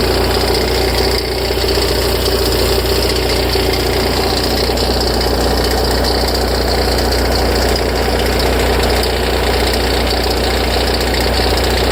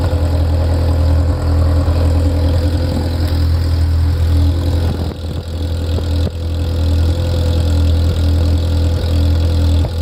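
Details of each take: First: Ferrari F355: tens of seconds after a cold start, a loose, uneven rattling tick comes from the front of the engine over the idle, then fades as the idle stabilizes. It is louder and longer after long periods unused; cause unknown. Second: Ferrari F355 engine after the front-of-engine noise heard from tens of seconds after start has stopped: deep, steady idle with even firing and no knocking or ticking; idle settled and stable.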